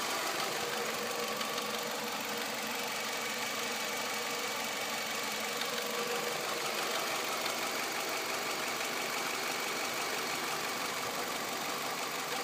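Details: 2006 Nissan Altima 2.5S at 117,000 miles, idling: a light, irregular knock about three times a second under a hissy background, from the rear top of the engine near the timing chain side. Cause unknown; engine knocking.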